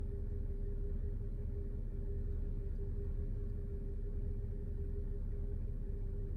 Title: Bmw 330i N53 problem cold start rough idle